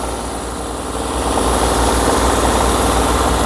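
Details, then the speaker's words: 1972 Triumph 2.0L inline-six Mk2, first start after over 20 years, on choke: lumpy uneven idle pulsing about four beats a second, not firing on all six cylinders; rough idle, cause unconfirmed. "I must say, I'm over the moon. Car is running. I mean, it's not running perfect, but I don't care."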